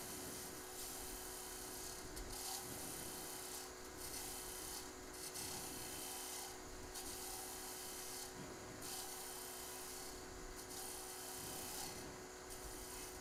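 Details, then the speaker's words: Thin, poorly supported hollow wooden Christmas ornament spinning on a lathe during very light scraping cuts; a faint steady hum under the cuts is the workpiece vibrating from lack of support. "In fact, you can hear the vibration because there's not a lot of support. There's a slight hum."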